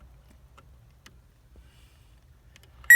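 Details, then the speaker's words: Power probe connected directly to battery, probing both sides of fuses in a Saturn fuse panel: quiet, then sharp high beeps in two bursts signalling power; the top fuse is found blown. "power, and this is the blown fuse. Ground, power, ground, power, and that's our blown fuse."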